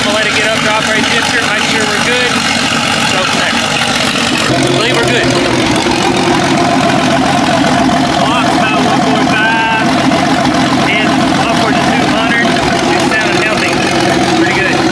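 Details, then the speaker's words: Jeep 5.0 (about 4.9 L) stroker with a stage three cam, cold start with the muffler off: loud open-exhaust rumble settling into an even idle with no knocking or ticking. "all right next day let's give it a cold start yep she's cold uh we leave the muffler off sounds cooler"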